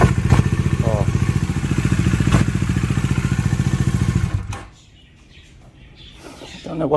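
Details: Bajaj Dominar 400 with under 1000 km: fast steady ticking clatter over the idle for about four seconds, then engine shuts off; abnormal internal mechanical noise, owner still investigating, odd oil behavior noted, cause undetermined.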